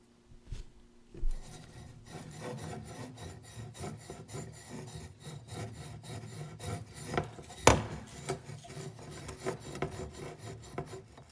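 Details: 2013 Honda CR-V, 2.4 engine, about 62,000 miles, roaring noise on right front: removed right front axle support bearing spun by hand on the bench, giving a gritty, scratchy rasp; dry, worn bearing.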